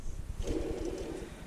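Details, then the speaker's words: 2011 Hyundai Sonata with the battery light on and the drive belt broken and off. Hand-spinning the alternator pulley gives a lumpy growling rumble pulsing about ten times a second: a worn alternator bearing. Alternator replacement is recommended, and the tensioner pulley has failed. "This alternator doesn't sound good, definitely."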